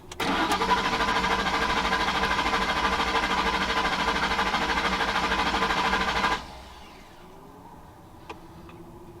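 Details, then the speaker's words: 2011 Ford F-150 5.0 Coyote, crank no start: starter cranks at an even steady chug about six seconds, never catches; scanner shows fuel pump circuit error, relay or corroded pump wire suspected; no fuel reaching engine. "somewhere our fuel pump has a fault whether it be a relay or maybe a corroded uh wire to the pump could be anything"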